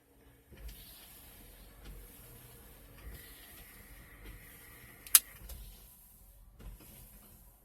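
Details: Chrysler Town and Country minivan HVAC blend/flap door actuator with key in ACC; faint motor whir for a couple of seconds, then soft click as it stops: normal actuator travel.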